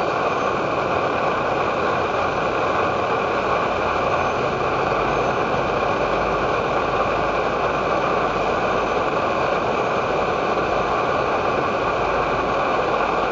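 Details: Edward Hexon backpacking stove on white gas (Coleman fuel), syringe-fed in place of its pump, bringing 500 ml of water to a boil: constant, even hissing roar with no sputter or surging; burner running cleanly at full output.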